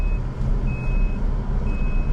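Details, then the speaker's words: Maruti WagonR CNG taxi, GPS tracker: steady high-pitched half-second beeps over road rumble, the SOS panic alarm triggered and stuck on by itself, reportedly without the button being touched. "എൻ്റെ കൈ പോലും കൊണ്ടിട്ടില്ല, ഇത് automatically വന്നതാണ്."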